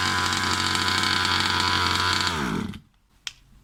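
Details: New Rovan 36cc double-ring two-stroke in a King Motor Baja 5B, warm, head gasket removed: high buzzy scream held steady at full throttle, then pitch drops as it winds down; pulls cleanly and strongly.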